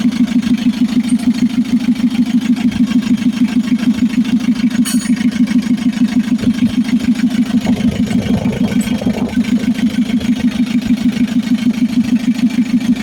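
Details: Mitsubishi L300 FB diesel after fixing hard starting (new fuel supply pump, rewired harness): steady, even diesel clatter at idle with no misses; running smoothly.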